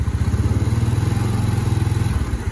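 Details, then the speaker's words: Yamaha Mio Nouvo scooter at idle after restoration: rough, clattery grind over the low thump that disappears at higher throttle, from a worn one-way starter clutch; replacing only the rollers didn't cure it, full set replacement planned. "nahkoda Nah itu suara one nya udah habis aja"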